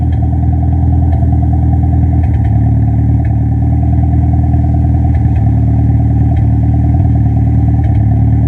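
Loud steady engine note with an uneven, stumbling pulse and irregular knocks breaking the rhythm; sounds like a misfire under load.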